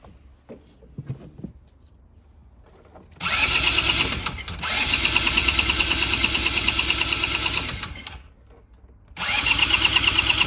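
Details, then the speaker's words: Neglected 2010 Polaris Ranger RZR 170, sat for years, now running with an air screw spring found loose: the small single buzzes at a fast idle, then revs and drops back unevenly. Owner thinks it just needs an air screw adjustment. "I think it just needs an air screw adjustment now idles now"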